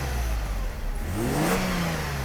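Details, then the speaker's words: Mercedes W124 300E 24V after fuel distributor rebuild, six new injectors and spark plugs: clean, smooth climb in pitch on quick throttle blips, even settle back down; healthy free rev. "Three or four stars turning this. That kind of sound when you accelerate quickly. It's really enjoyable; this is completely different from the M103."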